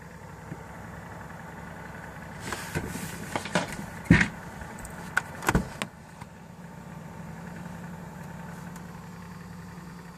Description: PS4 keeps making a rollocoaster/tapping sound